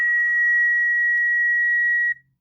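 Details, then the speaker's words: Noisy laptop at switch-on before repair, speaker connector later disconnected: steady high-pitched electronic tone holds about two seconds then cuts off cleanly; source unconfirmed. "as you can see I have a laptop here which is noisy so I'll show you how to fix first of all you have to turn on the laptop you can hear the noise"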